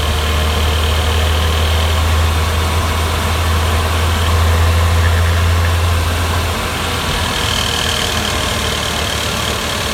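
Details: Porsche Boxster 986 3.2 S: light, fast metallic rattle over steady engine drone, heard only on overrun (engine braking), from the right side, gone with any throttle, absent at idle or acceleration; not the hydraulic lifters; traced to excess sealant on right valve cover.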